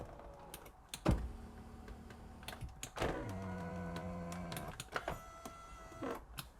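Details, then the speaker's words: Driver's electric seat on British project car after replacing blown fuses: clean steady electric whirr starting and stopping with soft clicks; backrest motor works normally. "Right, well, I'm going to call that a quick win. Now, I hope all of this car's problems are fixed with a simple fuse swap."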